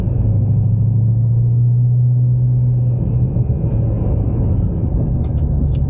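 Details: Ford Mustang driving over bumps after new upper and lower rear spring isolators replaced nearly worn-through old ones: steady low road rumble with no clunks; normal rear suspension.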